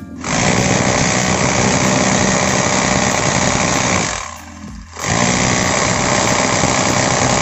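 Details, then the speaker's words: Bosch GBH 2-26 DRE SDS rotary hammer before repair, in hammer mode breaking concrete: steady buzz at about four blows a second, but the blows are soft and dull, not a sharp crack. Impact is weak and cracking concrete takes longer. "maintenant vous pouvez voir par vous-même les résultats comme ça le coup de pied de la perceuse ne donne pas de coup de pied et il faudra plus de temps pour que le processus fissure le béton"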